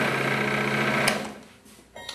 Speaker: so now what we can do is go ahead and turn this all on and listen for any rattling to see if we've got the tension too tight or maybe too loose